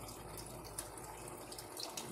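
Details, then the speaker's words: Mueller Energy 8kg automatic washing machine, new, first wash, 40-minute cycle, medium water level, connected to tap line: starting to fill; constant smooth gushing of water into drum; normal fill at wash start. "a água já está já está ligado à linha torneira é comer automático ela mesma vai ela vai encher a água já começou a encher"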